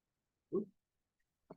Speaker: Still got a little rattle here. What we're dealing with here is a loose headset. If I hold the front wheel, I can wiggle this back and forth. And what's happened here is the bearings for this headset or the steering column have come loose.